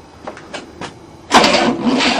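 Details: 1967 Cadillac not started in 30 years, first try with a new starter motor: a few faint clicks, then steady rough churning as it cranks, but it never catches.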